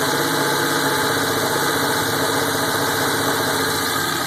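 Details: 1987 Buick T-Type at idle: a loud, busy idle with an uneven, lumpy beat and loose pulses that never settle into a smooth rhythm; rough idle.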